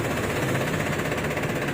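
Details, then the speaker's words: Isuzu 4JB1 truck at idle after clutch repair: steady diesel clatter and even low rumble with no gear rattle or whine; the transmission noise that stopped with the clutch pressed is gone. "Mukhang wala nang tunog, mga katsamba."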